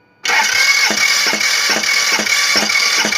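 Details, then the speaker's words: Toyota 2AZ-FE petrol engine started: runs rough with a dull knock about twice a second, sounding like something broken; found only after engine removal, a part had broken off. "нет нет просто звук какой-то странный как будто панель сломано"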